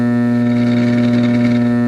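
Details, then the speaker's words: Checkout of an unidentified European vacuum tube radio: tapping the speaker wire gives a loud, steady low hum with buzzy overtones at constant pitch, a big whop and hum probably from a bad power supply filter capacitor (suspected, not confirmed). "So the big whop and hum coming out of there is probably that power supply filter."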